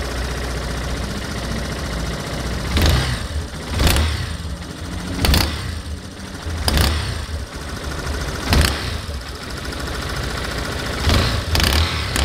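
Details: Yamaha Fazer 250 motorcycle on cold start: sharp, loud, irregular snapping clacks about every second over a rough cold idle, louder when cold and when accelerating; owner doesn't know the cause.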